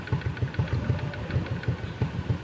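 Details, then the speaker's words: Honda XRM 125 (RS) single-cylinder after valve clearance adjusted to 0.05 mm: quiet even low idle pulses about seven a second, no valve tick; normal idle. "Nawala na yung lagutok. Alagitik."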